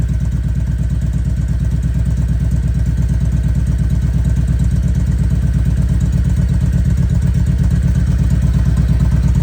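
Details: 2016 Kawasaki Vulcan 1700 in neutral, idling after oil and filter change: deep, even V-twin potato beat about three pulses a second, steady with no knocks or misses; healthy idle.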